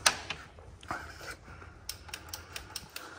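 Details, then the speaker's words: Hammerhead 250 ATV (250cc), tested with starting fluid on a jumper: a string of sharp dry clicks from the starter solenoid with no cranking, because the battery is not charged enough. Solenoid clicking, weak battery. "you can hear that's our solenoid down there so we'll put a little this in here"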